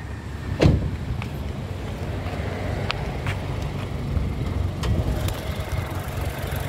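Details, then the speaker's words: Toyota Kijang Innova G with 2.0L petrol 1TR engine idling: quiet, even low hum, very smooth like a sewing machine, no knocks or ticks, a few light clicks; normal idle. "Nah untuk mesinnya bensin 2000cc teman-teman kode mesinnya 1tr suaranya nyaris tak terdengar ini masih alus banget teman-teman kayak suara Cuman suara mesin-mesin jahit ya"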